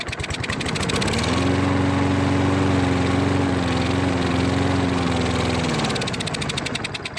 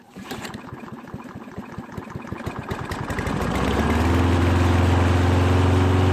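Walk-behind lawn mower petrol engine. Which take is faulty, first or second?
first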